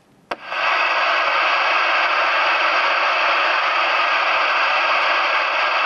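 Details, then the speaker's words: CB radio self-noise test with squelch off, full volume and antenna disconnected. A click, then a loud steady hiss with no signal: excessive receiver hiss, a "noise-box" radio. Cause unconfirmed. "no i przy odłączony antenie sprawdzamy sobie szum własny odbiornika w momencie kiedy Witam podłączę radio później dotknę czymś metalowym co do gniazda antenowego No to może najpierw nasz totalny szumow on"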